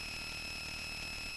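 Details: A thin, steady high-pitched whine with faint hum; electrical noise is suspected. Not confirmed.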